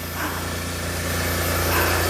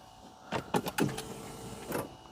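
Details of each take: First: Smart ForTwo just revived after a seized alternator and a failed starter: an even, steady low hum with no knocks or misses, easing up slightly near the end. The engine is running and charging normally. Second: Smart ForTwo, not run since September, on a booster pack: several slow dragging crank attempts with pauses, then it catches and runs rough. Owner suspects a seized alternator binding the engine; the starter also failed as a result. Slow labored cranking.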